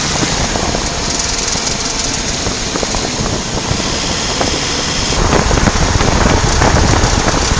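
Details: VW Passat B8 ticking from transmission area when coasting off throttle in first or second gear at 2000–2500 rpm below 15–20 km/h, absent in neutral, louder steering right; rapid regular ticking. Both clutches recently replaced. Cause: worn outer CV joint; replacing it cured the noise.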